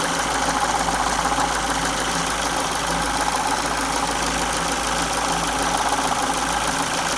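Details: 2002 Ford Focus Mk1 1.6 Zetec SE/Sigma at 205k idles with a light metallic rattle that comes and goes in short clusters. It changes with revs. Timing belt was replaced at 168k. Owner suspects the timing belt tensioner; unconfirmed.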